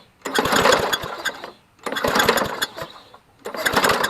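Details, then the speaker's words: Toro GTS walk-behind mower found in trash, pull-start attempts with ether and bad gas: three rapid bursts of compression chuffs, never catches; good compression but no spark, coil suspected. "we have no spark no spark as you heard in the first part of the video it sounds like it's got good compression but no spark"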